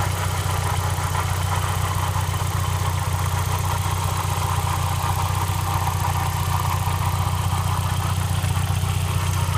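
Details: 1999 VW Passat 1.8T at idle: steady idle with a fast, regular pulsing tap about four per second under a low hum; abnormal noise, source not identified.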